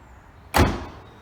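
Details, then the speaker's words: 1997 TVR Cerbera passenger door release: the window drops and the door pops open normally, a single crisp pop as it unlatches then a short fading rustle. "Alright, so window drops, door pops open as normal,"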